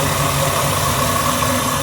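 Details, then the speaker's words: 1955 GMC truck with Pontiac V8 after intake manifold gasket replacement, warming up at idle, heard at the pipes: smooth, even burble with no knocks, ticks or misses, no more exhaust leak; normal idle. "You just purge right along. No more exhaust leak."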